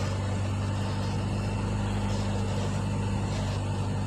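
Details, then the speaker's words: CNG-converted car being tested after reducer installation and adjustment, at idle. A steady low drone with a slightly uneven pulse and wandering rpm. Car not yet serviced; unstable idle. "ini sedikit minta di gas teman-teman RPM saya agak ngaco memang masih belum saya servis belum"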